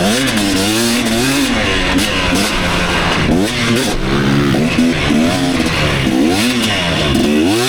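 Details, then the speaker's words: 2019 KTM 250SX two-stroke, Lectron Billetron 38 Pro carb, on track: hard revving with rattly metallic pinging under heavy load at about quarter throttle; owner blames a lean torque jet. "so I think that actually is the torque jet that I need to uh rich in up quite a bit so I'm going to go ahead and do that it is pinging pretty bad"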